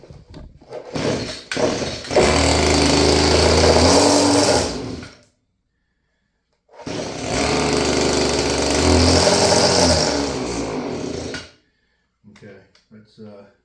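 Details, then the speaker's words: Stihl FS56 curved-shaft string trimmer, about 30 years old, two-stroke, first start on the high-speed start setting: ragged buzzing bursts that surge and cut out, running rough and unsteady. Owner suspects a gummed carburetor and a sticking throttle cable. "Carburetor gummed Now up. that throttle cable's sticking again. She's trying. Well, it runs."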